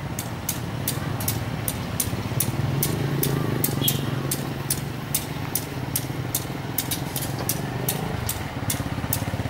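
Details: Indonesian diesel locomotive passing at a train crossing: low diesel rumble under sharp, evenly spaced ticks about three a second. Not tyre damage; this is said to be the engine's normal sound.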